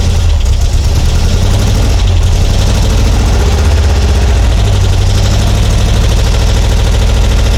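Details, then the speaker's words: Porsche 912 with Dellorto DRLA carburettors, recurring problem on every start: heavy lumpy low idle with an uneven stumbling beat; clogged carburettor idle jet, usually cured by cleaning the idle jets. "so this is pretty much what I've been experiencing every time I start this car I have a clogged jet somewhere in here and I take them apart clean out idle jet here or there and you'll start running well"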